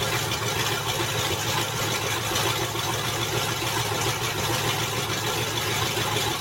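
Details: Land Rover Discovery at idle after transmission reinstall: loud, raspy, hissing, unmuffled rough rumble; open exhaust leak where catalytic converters were cut off, owner plans to fit the exhaust back together.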